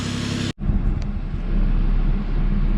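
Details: Lexus IS300 with a used 2JZ swapped in to replace a rod-knock engine, first start after install. After a short break, a low, even idle rumble with no knocks or stumbles. Normal, healthy idle.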